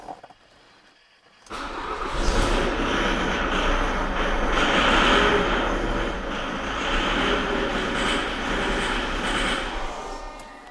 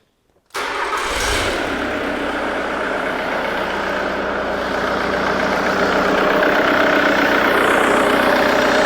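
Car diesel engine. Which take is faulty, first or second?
first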